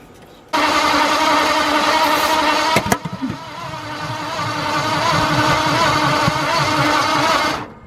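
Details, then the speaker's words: 1953 Ford truck, newly installed V8: starter grinds at a steady cranking beat for about seven seconds without ever catching; no start, even after trying a clockwise firing order instead of counterclockwise. "Alright, I tried a different firing order that goes clockwise instead of counterclockwise."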